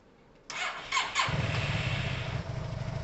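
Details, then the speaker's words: Yamaha TMAX scooter after carburetor cleaning, not yet warm: catches after a short crank and settles into a fast, steady idle sitting noticeably high after the idle screw was raised; idle set too high. "I'd slightly higher it up. It's a bit iffy. I feel really high though. Like that's really high. See, that's probably too high to start it."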